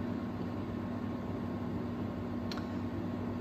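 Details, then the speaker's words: 1999 Honeywell twin window fan, new old stock: at low speed a steady, audible low buzzing hum sits under the soft rush of air, a telltale of an electronic (triac-type) speed control rather than a winding or capacitor-based one. "it's got a very audible hum to it especially on this speed and that's kind of a Telltale sign that this has an electronic or a rat base speed control and not a winding or a capacitor base control"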